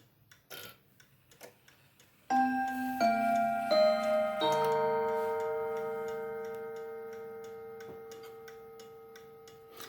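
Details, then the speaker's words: October 1950 Seth Thomas Northbury 1W mahogany mantel clock, No. 124 movement, heard from the front: clear bell-like Westminster chime notes ring out slowly over a steady tick, a pleasant, not overpowering sound; movement and chime train healthy. "a nice sound, it's not overpowering."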